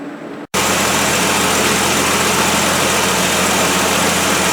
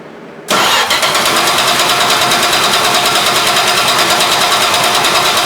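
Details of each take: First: 1973 Plymouth Duster 225 Slant 6 after swapping the 1-barrel carburetor for a factory two-barrel iron intake with an adapter plate and a Holley 350 cfm two-barrel: steady, even 800 rpm idle, smooth hum, no ticking or puffing; normal idle. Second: 1973 Plymouth Duster 225 Slant 6, first start after swapping the 1-barrel for a Holley 350 cfm 2-barrel on an iron intake with adapter plate. It catches after cranking and settles into fast, sharp idle ticking. Exhaust leak from an untightened intake-to-exhaust manifold bolt.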